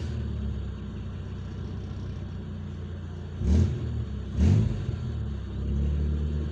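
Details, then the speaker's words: DX car on LPG with a Wingas regulator, warm at about 59–60°C coolant: with the regulator vent sealed tight, idle surges unevenly on throttle blips and won't settle because the membrane is upset; fix is drilling a vent hole. "Coba saya tutup ini, saya tutup rapat. Saya tutup rapat. Coba saya gas, maka dia akan ngacau teman-teman."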